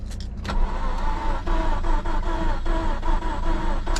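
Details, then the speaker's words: Slow, laboured cranking in uneven pulses without firing; battery too weak, needs the jump pack. "Okay, she's turning over a bit slow. She's gonna need the jump pack."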